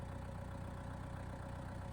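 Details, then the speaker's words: Diesel tractor at idle, microphone exposed on tripod below, before PTO engagement, canopy off; low steady even diesel thrum with no knocks or misses, normal idle. "I'm going to start the tractor. Here we are at idle. Tractor's fairly"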